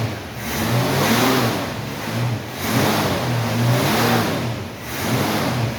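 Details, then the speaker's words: 1968 Ford Mustang V8 restarted; catches and settles into an even rumble, revs swelling smoothly on throttle blips, slight exhaust leak noted. Normal running. "Listen to that thing hum. Listen to how smooth that thing sounds. We got a little bit of exhaust leak, but these cars have always had exhaust leaks."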